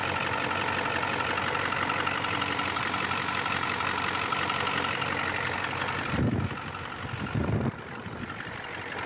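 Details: 1994 Ford F250 turbo IDI diesel, started after replacing fuel injection return line O-rings, air cleaner off to check for leaks: even idle with steady injection clatter, no stumbling or surging; normal diesel idle.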